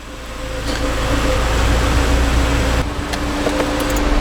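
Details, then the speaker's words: Ford Fiesta ST, about four years old, after replacing the HVAC blend door actuator whose stripped gears clicked in the dash at every start: steady engine idle with blower hum rising as the AC comes on, and no dash clicking. "so no clicking yes I think we actually fixed it guys let me turn on the AC here"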